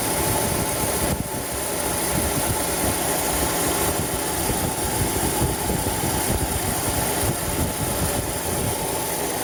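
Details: 2011 Chevrolet Cruze 1.8 at 207,000 km, idling: a steady rough, gritty grinding noise from the engine, sometimes louder and usually worse when the engine is cool. The water pump, serpentine belt and tensioner have already been replaced; cause unknown.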